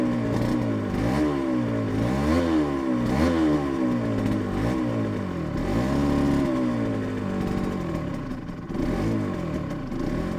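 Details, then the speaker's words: Yamaha TZR 250 3XV two-stroke twin after a rebuild, while throttle idle stops are adjusted: uneven blipping, pitch swinging, faltering beat with very weak pulses. Owner says something is wrong with the left cylinder. Rough running. "it's very weak pulses but that's lovely smell that it's gorgeous so definitely something wrong with the left pot"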